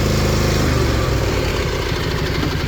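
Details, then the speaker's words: Newly rebuilt Kawasaki FR730V V-twin on a Cub Cadet mower that got wet, losing power under load: at wide open throttle it chugs at a low, uneven speed and won't reach its rated 3600 rpm, seemingly running on one cylinder. "She's supposed to rev up to 3600. I don't mow quite that much. I usually stop around 3,200. I can't get it to rev up."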